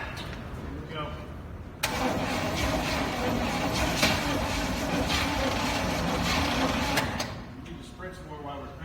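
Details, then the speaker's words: 1969 Chevy C/20 with 327, first start attempt after 40 years with spark confirmed, new points and gas down the carburetor: cranks hard and evenly about five seconds but never fires; owner suspects the starter. Crank, no start. "you hear that click click the funk funk probably a starter well because it's still refusing to start"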